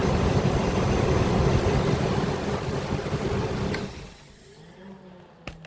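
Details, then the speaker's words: Workhorse chassis 8.1 Vortec V8 after fitting AC compressor bypass belt and idler pulley: smooth, even low rumble, no belt squeal; idler bearing quiet. "See how quiet that is? Because this is not very old."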